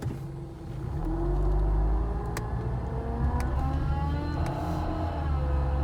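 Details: 2008 Honda Accord, engine running: loud steady droning hum with whirring tones from the front accessories; owner suspects a bad A/C compressor clutch bearing.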